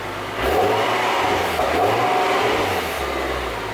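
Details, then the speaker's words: Infiniti G37 with newly fitted Invidia Q300 exhaust and Berk resonated test pipes: engine cold after sitting, catches and settles into an even, mellow, quiet note with a couple of light blips. Healthy cold start. "all right so there it is guys a little startup video i didn't want to rev it too much just because the engine is cold"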